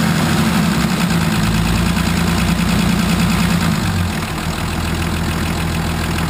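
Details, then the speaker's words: 1980 International Harvester Travelall, Nissan SD33 turbo diesel after oil, fuel and air filter service and bleeding air from the fuel system. Even diesel clatter at steady idle with no hunting or misses; how it's supposed to sound. "All right. That's how it's supposed to sound."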